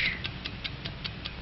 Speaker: accurate watch takes five times each second like the engines of airplane and motorcar